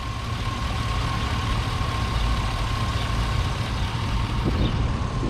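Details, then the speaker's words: Chevy Silverado 1500 work truck: steady even low idle with faint constant whine, no knocks or bangs; engine healthy at rest. "It's a great truck. The engine is great. No knocking, no loud banging."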